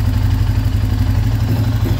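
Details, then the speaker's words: 2012 Arctic Cat EFI ATV that was blinking with no start, now starting after a connector was unplugged, blown out and replugged and a different battery fitted: steady, even low idle with no misses, knocks or hunting. "it starts just fine everything is working right now"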